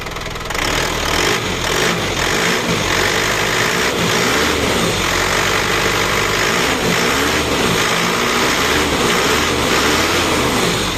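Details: Isuzu Panther Kapsul diesel, rough noise despite two engine overhauls in a month (new crankshaft fitted, later broke): harsh, rapid clattering rattle over the idle that never settles; worn timing idler gears with free play.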